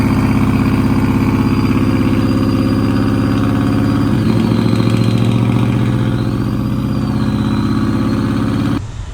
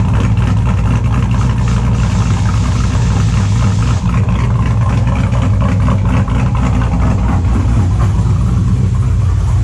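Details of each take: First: 2002 Silverado with completed LS engine build at idle: thin wavering high whistle over steady V8 idle, suspected tied to throttle body (Holley Sniper did not work on this setup); cause not confirmed. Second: 2002 Chevrolet Silverado with a built LS V8 and a cable throttle body, idling after a cold start: extremely loud, lumpy, steady deep loping rhythm on all cylinders, no misfire stumble or knock; owner says it runs good; normal idle.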